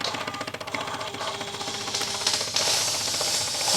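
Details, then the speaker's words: Bissell Symphony 1132 vacuum and steam mop, on high, after steam pump replacement: a rapid, fairly even thumping about two per second under a loud steam hiss. The new pump operates normally and delivers steam. "hear that thumping noise I guess that's plenty that's normal"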